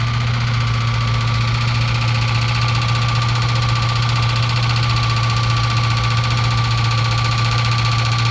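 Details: Loud steady low droning hum with a high whine under the hood, only when the AC is on and gone when it is off, starting right after the power steering fluid was sucked out and replaced; AC still blows cold, cause not yet found.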